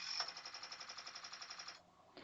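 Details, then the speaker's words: Commodore 2040/3040/4040 IEEE-488 disk drive under a diagnostics ROM bump command: rapid, even clicking about ten a second for under two seconds as the stepper bumps the head against the track zero stop; normal, the head likely already at track zero. "you can hear that it was bumping there. In fact, I think the spindle motor was already at track zero. So it didn't have to travel anywhere."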